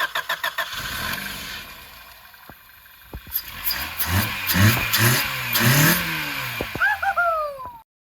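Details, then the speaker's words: Abandoned Honda Civic EF9 with its fuel tank hanging on the ground, test start after a fuel-delivery check: steady cranking, then it catches and revs up and down in uneven bursts before settling. Fuel is getting through and it runs. "Alrighty, now that we got the car started and running, we've got it driven down here, and now we're going to get started on the bodywork."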